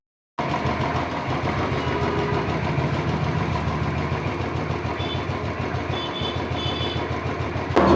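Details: Royal Enfield Classic 350 brought in for tappet noise, started after an oil change and oil pump replacement: it fires up and settles into an even single-cylinder thump with no top-end ticking, a healthy steady idle.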